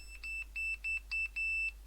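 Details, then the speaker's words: Repaired tweeter horn speaker from a bar, after gluing the blown open-circuit driver, fed an analog meter's test bleep: clean, loud high-pitched bleeps with no buzz or rattle. The driver is fixed. "yeah you'll hear it much louder and it sounds nice and clear so i'm confident i can give this one back to the customer"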